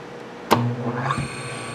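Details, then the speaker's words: Quarter-horsepower three-phase motor on single phase, after switching to a lower capacitor setting (previous setting ran warm after 5 minutes); sharp click, low hum, then a clean whine climbing to steady pitch; normal start, though too little capacitance to reverse while running. "probably about the way it's supposed to start but it won't reverse while it's running now so it's not quite enough capacitor to do that as soon as it stops it'll start in the other direction"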